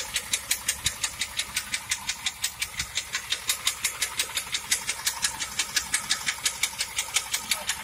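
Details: 1997 Pontiac Trans Am engine at idle: sharp, even ticking about three per second over a quiet idle; clear top-end tick, bad engine noise with cause unknown.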